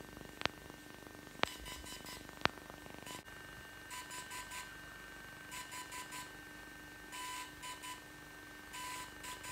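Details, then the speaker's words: DJI Phantom 3 Professional during a proper firmware update: short bursts of three or four quick beeps repeating every second or two, gimbal light flashing red and green; normal update signal. "this is the beeping it makes when it is doing a firmware update properly without this ridiculous noise"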